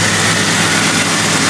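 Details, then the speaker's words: Late-1998-built Jeep Cherokee, just started on a weak battery: smooth, even idle with a light steady fuel-injector tick audible over the motor, normal for older ones; good running motor. "on the older ones you can actually hear the injector over the motor so good running motor"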